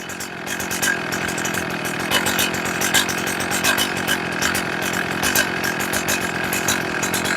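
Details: Chainsaw after leaning low-speed carburettor screw, idle about 2,800–2,900 rpm and stabilized; steady even high buzz without surging or bogging, throttle response checked, close to properly tuned.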